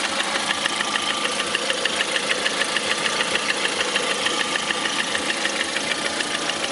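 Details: Lada Priora with 21126 engine: sharp, even metallic tapping about three times a second over a steady idle, a knock from inside the engine, cause undetermined.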